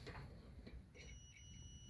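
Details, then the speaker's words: Maytag/Admiral dryer that shuts off after 5 minutes/overheats: thermal fuse heated with flame clicks, but a steady high continuity-meter tone holds afterward, showing it still conducts; the fuse is bad. "You hear it click again? So this fuse is bad."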